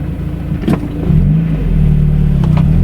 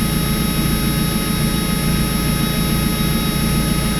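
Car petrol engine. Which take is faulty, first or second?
second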